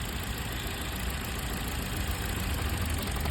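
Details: Toyota four-cylinder petrol car idling roughly with an uneven, lumpy low beat and vibration; misfire traced by pulling each coil, with the cylinder 2 ignition coil found faulty.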